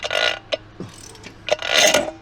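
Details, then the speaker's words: Twin-turbo Mitsubishi Triton, 3.0L 6G72 V6, with a newly fitted cheap replacement starter motor: harsh metallic grinding screech in ragged bursts with no engine beat as it's turned over; starter pinion jammed engaged, won't retract. "I've changed the starter motor, but apparently it's decided it doesn't want to retract, so it's permanently on."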